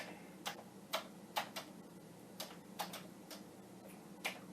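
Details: Commodore 1541 floppy disk drive of unknown origin, tested from a Vic-20, formatting a disk: sharp irregular ticks about two a second over a quiet hum, head stepping while LED flashes and format keeps failing.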